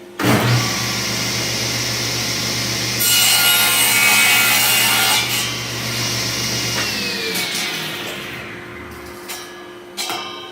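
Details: King Cabinet table saw after bearing repairs and table alignment, cutting a piece of 2x4. Motor spins up to a steady whir, blade rips through the wood smoothly and winds down evenly. Normal cutting.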